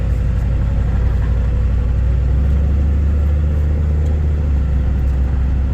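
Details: Ford 7.3 Powerstroke diesel that began cutting out, progressively worse, on the way back after hauling a shipping container; suspected bad CPS sensor. After a new sensor was fitted, it idles with a deep, even rumble and stays running, about 10 minutes in.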